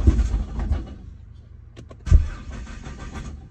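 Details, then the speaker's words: Nissan GT-R R35 with code P1220 (fuel pump module), jumper battery connected but still low: two short bursts of slow labored cranking fade out without firing; weak cranking from low battery. "Ah, battery is still low. Let's wait a little bit till the battery get more use. It's kind of low."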